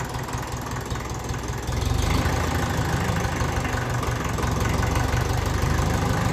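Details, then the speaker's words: 1954 Ferguson TEF 20 diesel tractor idling after its injection pump was rebuilt with new bearings: steady, even low clatter with a crisp combustion rattle, sounding like better compression and burning. Normal diesel rattle. "you can hear a bit more of a diesel rattle off it as much as that doesn't sound good when you say it it sounds like there's more compression go happening there better burning going on in there"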